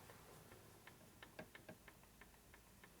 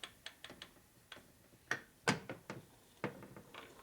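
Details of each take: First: 1978 Harley-Davidson Shovelhead engine on the bench during machining work, cam gear rocked by hand to check lash: only faint light ticks where there was heavy clunking before; gear lash is right on. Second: 1978 Harley-Davidson Shovelhead motor on the bench during machining: cam gear rocked by hand gives irregular sharp metallic clacks about once a second; loose mesh between pinion and camshaft gear, will sound like loose valves each time the cam goes over center. Excessive cam gear backlash.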